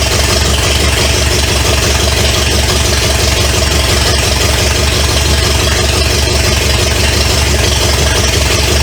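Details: 1970 Pontiac LeMans with Pontiac 350 V8, abandoned for years, first start: loud, even chuffing idle through open manifolds, steady beat, no knocks or ticks. Smoke is from oil put in cylinders to free rings. Normal idle.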